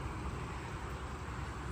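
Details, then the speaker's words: C1500 OBS truck just fitted with a new engine and transmission: a low, smooth, steady idle barely above the background, with no knocks, ticks or misses. Quiet, healthy running. "Can't even hear it running, actually, how quiet the motor is. But yeah, she's running, man. It is running."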